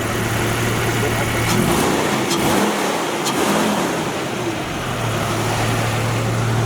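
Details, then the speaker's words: Jeep Wrangler after engine rebuild with new belt and idler pulley at correct tension, previously squealing from antifreeze on belt; engine revs up and settles smoothly, no squeal or knock, injectors audible; healthy running. "so I put a new belt on and the idler pulley and made sure we had the right tension in it and it's silent you can actually hear the injectors yeah I left that's awesome man she's just purring"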